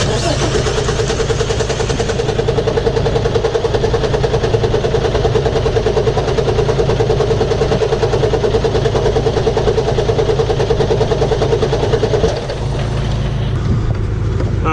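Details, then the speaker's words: International truck broken down, cranked again while fuel is hand-pumped and ether is used: steady rhythmic cranking, about three turns a second, for twelve seconds without catching; cranks but won't start, cause unconfirmed. "All right, try it again. Go ahead and crank it."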